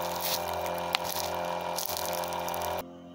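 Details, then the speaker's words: Noisy 12-volt high-pressure water pump, a stand-in fitted from spares, drawing about 1 amp: constant motor hum with rough buzzing over running water, then abrupt stop; needs replacing. "вот такой насос он считается высокого давления но шумит Хотя потребление сейчас около 1 ампера двенадцати вольтовой системе"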